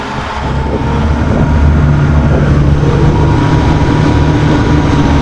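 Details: Cox 300 hp V8 twin-turbo diesel outboard on patrol demo boat, sea trial running slowly then a little throttle: deep even drone builds and holds smooth, no knocks or rattles; normal running.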